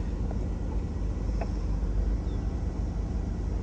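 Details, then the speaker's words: Mid-to-late-1990s AWD Astro van: an even, steady low rumble with no knocks, ticks or misses; a smooth, healthy idle with decent oil pressure. "oh yeah let's fire this thing up so you can hear it run"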